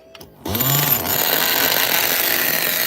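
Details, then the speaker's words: Nitro RC engine (Mutant kit) first start after opening a low-speed needle that looked closed; it catches and surges, then holds a raspy, uneven burble. Running too rich; owner plans to lean it out and raise the idle. "it's a runner it's a runner and it's uh too rich now too rich too rich"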